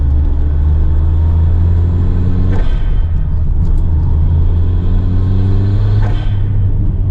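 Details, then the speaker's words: Toyota Celica GT-Four driving on Welsh roads: steady road and engine rumble with a few sharp thumps over bumps, about three in seven seconds; worn suspension knocking and rolling, needs repair. "Yes, you can hear the suspension knocking and rolling around. The Celica is in need of some repair, and if you want to help me with that, I'd much appreciate it."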